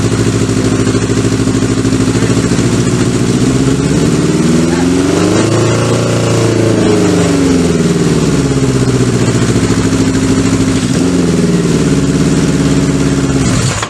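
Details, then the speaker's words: Kawasaki Z650B four-cylinder during restoration, rebuilt carbs just refitted: runs lumpy and uneven, then revs suddenly climb and smooth out briefly once fuel reaches the dead cylinder; misfire traced to a fault in that one carburettor starving its cylinder. "you hear that then as if you went in suddenly the Reds went high and it sounded a lot better so definitely a problem lies with this carburetor"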